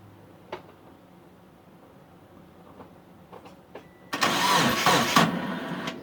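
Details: Mitsubishi Eclipse after about 8.5 years sitting, fuel and spark confirmed, timing set, weak battery on charger: quiet pause then about two seconds of starter churning without catching, crank no start; owner suspects the crank position sensor.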